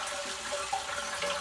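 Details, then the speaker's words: Very old (1994) toilet: fill valve lets tank water rise too high and won't shut off, steady hiss with faint whistle and horrendous noises at night; running, noisy, leaking toilet fixed by replacing the fill valve. "the water was going too high um and then it started making horrendous noises and actually in the middle of the night was acting like it was possessed and like making all kinds of calls for me to come and inspect it was very creepy"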